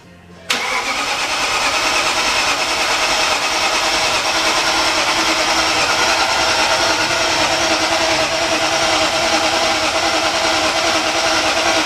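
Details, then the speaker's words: Freshly rebuilt BMW S62 V8, first start attempt, cranked with the fuel pump relay removed: steady starter whir with even compression pulses that never fire, a dry crank without fuel. "Dry crank, no fuel pressure relay, or no fuel pump relay."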